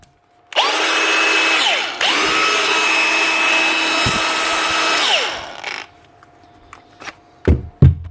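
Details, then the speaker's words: Milwaukee 4.5-inch brushless cordless grinder that would not turn on, seized by a failed rear 605 bearing, now running after bearing replacement; clean spin-ups to steady high whine, smooth wind-down, no grinding. "That one was just seized because of that failed bearing. That's it. Another one fixed."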